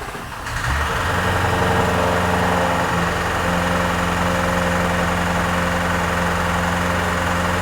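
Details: Flood-damaged 2018 Jaguar F-Type SVR, 5.0 supercharged: the engine catches into a rough idle with a fast, uneven knock at about three or four per second. Owner suspects internal damage, possibly a bent conrod, not confirmed.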